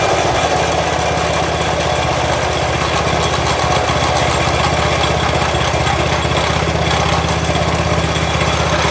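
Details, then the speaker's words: Honda GX200 single-cylinder engine on a Toro SG-6 stump grinder, steady even idle putter after idle stop screw turned 1/4 turn right; no choke, fuel valve open; idling and hot-restart trouble ultimately traced to oil level. "So I gave that 1/4 turn to the right. And now I'll let you listen to it at idle, and it sounds okay."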